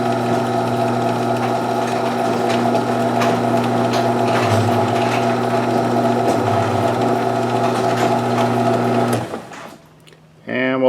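Steady motor drone with an even chain rattle for about nine seconds, then the run stops cleanly; the opener is lowering the door normally.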